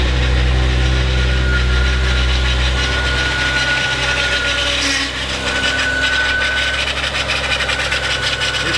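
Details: SR20DET-swapped Nissan 240SX nearby while a BMW M5 has just started; a thin steady squeal over the idling petrol engine comes from the M5's VANOS variable valve timing pump.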